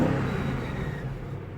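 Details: BMW X5 M62TUB44 V8 after timing chain and guide replacement: even rev dropping back smoothly toward idle over deep exhaust rumble, no chain rattle.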